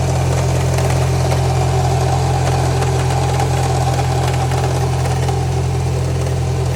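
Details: Subaru EJ20X engine at idle: heavy steady low drone with a regular light knock about 160 per minute; possible rod knock, unconfirmed.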